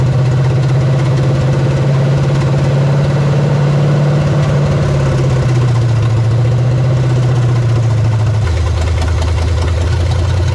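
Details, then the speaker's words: 1975 Chevy Nova 350 four-speed, sitting since 1987, cold restart burning junk off headers: even idle rumble whose pitch steps down twice over ten seconds; cold idle speed dropping in steps, choke suspected still adjusting. "sounds good sounds like the choke is trying to figure itself out"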